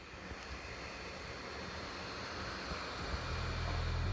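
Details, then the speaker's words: MacBook traded for a Surface Pro 7, while editing and colour grading 4K video: fans kick into jet engine mode, a steady airy rush that slowly builds in loudness as they spin up hard under heavy load. This is normal cooling. "as you can hear while i was editing some 4k video and color grading it i actually got the fans to kick into jet engine mode"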